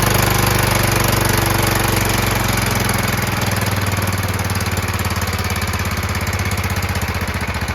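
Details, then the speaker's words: John Deere LT160 mower repowered with a Kohler engine, after mechanical fuel pump and filter repair: steady single-cylinder thump at a fast, even idle with no popping or backfire; runs cleanly, though the new carburetor's idle still needs adjusting. "so far so good seems like it runs fine uh as you can hear there's nothing that sounds like it's um popping or anything like that"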